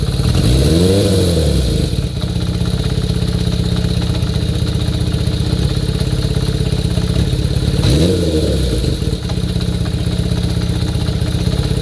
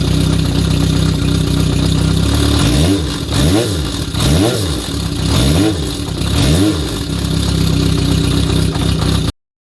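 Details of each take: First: Kawasaki Zephyr 400 (ZR400C) after notch-type cam chain tensioner tightened about two notches: steady even idle, two quick rev blips falling back smoothly, no chain rattle; normal idle. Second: Kawasaki Zephyr 400 (ZR400C) notch-type cam chain tensioner adjustment comparison: idle with a few blips and a light metallic clatter, possibly cam chain slack; tensioner tightened about two notches. Cause suspected, not confirmed.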